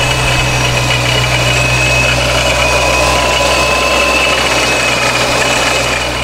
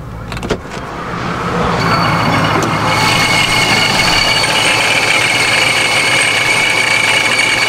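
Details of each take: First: Procharger-supercharged Dodge Scat Pack at idle, rpm raised slightly: steady idle with a coarse, uneven gravelly rock-crusher rattle, much milder than at base idle; rattle at idle, source unconfirmed. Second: Procharger-supercharged Dodge Scat Pack V8, with the idle raised from a previously very low idle: engine catches and settles into an even, steady idle with only a light, quieter supercharger whine; sounds healthy.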